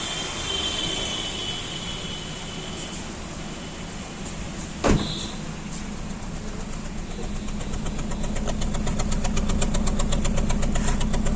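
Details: Hyundai Verna petrol idling with an uneven, stumbling pulse and heavy engine vibration: cylinder misfire, codes P0300 and P0304.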